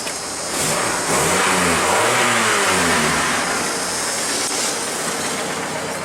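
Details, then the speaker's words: 1988 Dodge Dakota 2.2 L four-cylinder in neutral after the stock muffler was refitted and clamped tight. It revs cleanly and settles with a smooth, even exhaust note, no rasp or leak. "that's a lot better"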